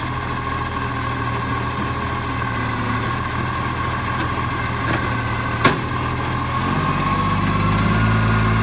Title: Monash Green Waste #2648 (Exhaust Leak)